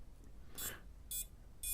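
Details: Pavo Pico drone rebuilt on a replacement frame, powered up on the bench: three short, high, even beeps about half a second apart over a quiet room; speed controllers arming normally.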